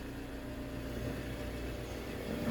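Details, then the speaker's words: Toyota Alphard ANH20, high mileage, after balancer shaft replacement and oil and filter change: quiet smooth idle; earlier rough noise blamed on poor oil circulation to the cylinder head camshaft. "Nah, ini suara mesinnya udah normal lagi ya. Karena ee bagian silinder head atau yang noken asap yang di atas itu sudah terlumasi dengan baik."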